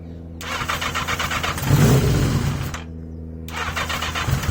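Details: 1980 Yamaha XJ650 with pod air filters, after carburetor work. The engine catches and surges, revs climbing and falling unevenly instead of settling to idle. Owner suspects a mixture or airflow problem, not confirmed, and is trying new 115 main jets.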